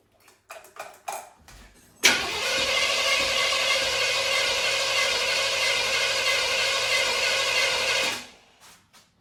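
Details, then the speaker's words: Supercharged carbureted V8 for a Blazer, distributor reinstalled at marked position, throttle worked by hand: about six seconds of even cranking near 200 per minute, never catching; fuel present but seemingly no ignition. "I thought it would start there, but it feels like we're not having ignition."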